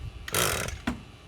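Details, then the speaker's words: Echo SRM-225 straight-shaft trimmer after replacement eBay carburetor, pulled on choke: two short sharp pops half a second apart as combustion begins to catch, a sign it will start; then idle down and choke adjusted. "that's the popping sound i'm telling you that you may listen to once you hear that you know you're gonna be good"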